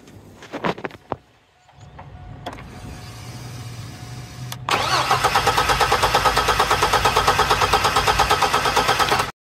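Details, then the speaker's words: 2002 GMC Sonoma, 4.3 Vortec, parked since 2017, new fuel pump and repaired wiring: steady cranking about three turns per second with no firing; starts on starting fluid but not on key, spider injector suspected. "it'll start off of starting fli but it will not start off of the key"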